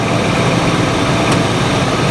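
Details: 2006 Toyota 4Runner with check engine light and transmission codes, after refilling fluid: steady idle in gear, drive and reverse engage on brakes with no clunk, slip or whine; transmission sounds healthy.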